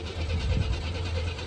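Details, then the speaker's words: 1987 Buick T-Type, key on and cranking with intake tube off: low, labouring crank that coughs once but never catches; no fuel reaching the engine bay, so the fuel pump has failed. "But of course, as you can look underneath the hood, it should be gas pouring out. No gas. So we know the fuel pump's not working."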